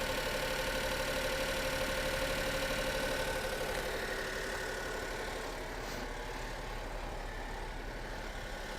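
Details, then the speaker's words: 2005 Honda Acty HA7 4WD kei truck, 658 cc E07Z three-cylinder petrol, 36,500 km, engine-cold light still on: quiet, even idle with a light tick about four per second and a steady note; healthy. "hopefully you can tell that is a a nice quiet Honda three-cylinder engine ticking away"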